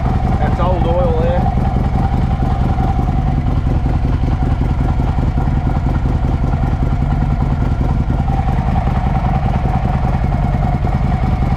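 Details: 2007 Harley-Davidson Ultra Classic V-twin after Screamin' Eagle compensator upgrade for a warm/hot starting issue: first start in neutral, catches and settles into a steady loping idle with even beat and no clatter; starter may still be suspect.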